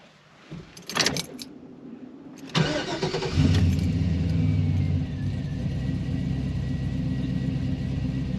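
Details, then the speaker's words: 1981 Chevy Malibu with LS-swapped Gen IV 5.3L V8 and aftermarket cam: cranks and catches, then settles into a low, uneven, loping choppy idle; healthy engine with a lumpy cammed idle. "you hear it it's got a little bit of a lumpier lumpier idol"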